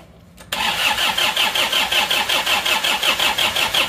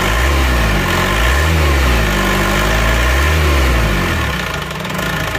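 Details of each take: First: Isuzu Panther diesel, first start after broken crankshaft, engine rebuilt twice, radiator leaking: starts at once into harsh hard metallic clatter about 160 beats a minute; injection pump mid-position over-fuelling, regulating valve tapped in too deep. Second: Isuzu Panther diesel after the injection pump was turned fully back to offset a regulating valve seated too deep: idle is now even and fairly smooth with a soft knock, no harsh rattle, and normal exhaust smoke.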